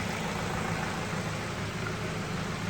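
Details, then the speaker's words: Ford Focus with a head gasket leak, a few days after Steel Seal, warm after a four-mile run with hardly any cooling pressure now: quiet, even idle with a steady low hum and no misses or knocks; normal idle. "There's hardly any pressure building up in the cooling system now, and there was a lot before."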